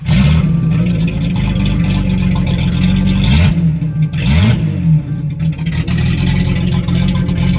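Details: 1976 Datsun 280Z 2+2 junkyard revival, running after oil change and radiator reconnection: steady, even idle with a couple of brief throttle blips, settling back smoothly; engine sounds healthy and is running much better.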